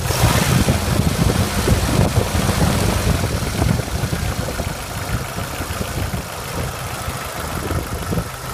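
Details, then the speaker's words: 1993 Jeep YJ 2.5L 4-cylinder, 360,000 km, oil pressure over 30 psi: a rough idle with a light, fairly quick tick that follows engine speed; the owner suspects worn lifters but could be wrong. "It's just because the lifters were worn out. I think that's what that noise is. Could be wrong though."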